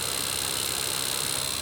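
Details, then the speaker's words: Prius cabin blower fan, likely aftermarket, cleaned and greased but still noisy at low to high speeds: steady harsh high hiss with thin constant whine; worn blower motor needs replacement. "I clean it up already it's still making a noise and putting a grease there doesn't make it I think make it quieter"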